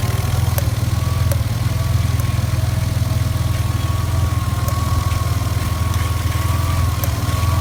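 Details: Ford Cougar petrol engine idling with a deep steady rumble, broken by sharp irregular pops every second or two.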